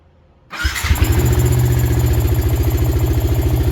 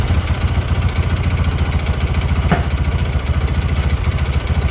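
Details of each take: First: Suzuki Karisma 125 with a Yamaha R15 V3 engine swap, after the rocker arm fix with valve clearance reset to standard: engine catches at once and settles into a steady, even idle with no ticking; normal idle. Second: Karisma 125 fitted with a swapped Yamaha R15 V3 engine, after months of daily riding: single-cylinder idle with a fast, fairly steady patter of three to four beats a second, rougher and louder than it should be; noisy engine.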